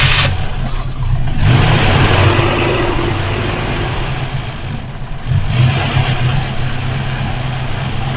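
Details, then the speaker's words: Rover P5B coupe V8, hot engine, after fitting a replacement sports coil: restarted engine still idles lumpy with an uneven stumble, so the coil is ruled out; misfire occurring only when hot. "one down it's not the coil obviously okay so next is going to be the uh condenser and the points"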